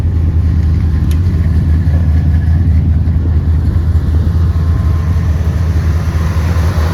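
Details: 1976 Ford F150 Ranger XLT V8 cold idle right after stone-cold start with choke set: deep, even rumble, no misses, knocks or ticks; healthy.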